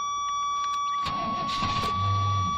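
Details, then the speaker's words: Fuel-injected Suburban started after priming: brief crank, then catches and runs steadily with no misfire; it races at first, throttle suspected sticking, alternator belt noisy. "good that might have been it like I said this this motor races till it gets going"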